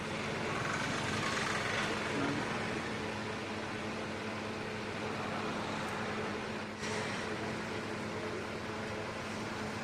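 A constant hum with a faint steady tone over a rough airy noise; the fan runs noisily, though the cause can't be pinned down by ear. Cause suspected, not confirmed.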